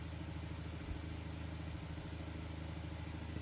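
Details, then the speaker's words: Kuo Horng KH-901 9-inch oscillating desk fan, dropped, previously serviced, shaft has play: quiet steady motor drone with faint pulsing rattle and vibration, present even before; worn bearing and sloppy shaft. "but that Rattle and the vibration is nothing new it was already doing that even when it ran good before"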